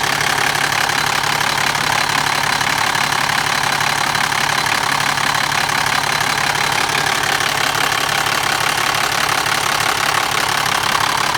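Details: BMW E60 with M57 diesel idling; a steady rattling clatter rides over the engine at about two or three per second; noisy timing chain.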